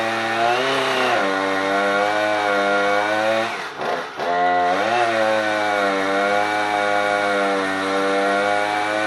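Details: Husqvarna 455 Rancher chainsaw losing power under load, run before the spark plug change: holds a steady high buzz, then stumbles and sags in pitch near four seconds before recovering.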